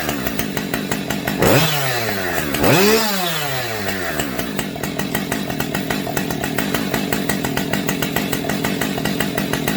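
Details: Husqvarna 550XP Mark 2 chainsaw after a gas tank swap: two quick throttle blips, then a steady, even idle with a fine regular ticking. The saw runs and settles normally.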